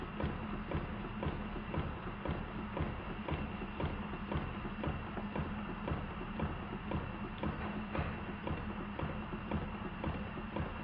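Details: Model steam engine on the bench, second steam test after fitting six 4BA bolts to the steam chest and soldering the exhaust fitting: fast hard-edged uneven chuffing about two beats a second, still rough like a machine gun but much improved.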